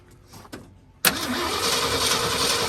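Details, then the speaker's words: 1967 Ford F350 sat about 10–17 years, first start attempt with a little gas poured in: starter spins the engine at an even crank with no firing at all; no-start, no spark, plugs and ignition points to be checked next. "okay so we didn't get any fire at all let's pull a plug out and see if the plugs are firing"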